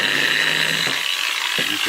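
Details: Makita 9565CVR 1400W 125 mm variable-speed angle grinder, run at lowest speed, customer says it shakes and lacks power: wavering high motor whine with ratchety rattles and uneven surges instead of a clean spin; faulty armature, needed replacement.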